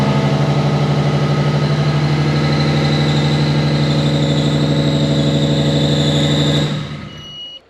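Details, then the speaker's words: Nissan R33 DE+T build, first start after long project: lumpy uneven beat, stalls; cylinders one, two and four dead, running on three; swapping coil packs didn't move the fault, so not coils; engine misfire. "got a miss so you could hear starts and run doesn't sound too happy right so we've got one two and four are dead we're only running on three cylinders"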